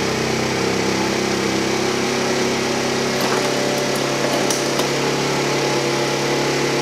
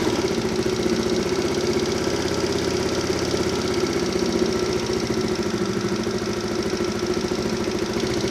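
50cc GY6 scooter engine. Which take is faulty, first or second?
first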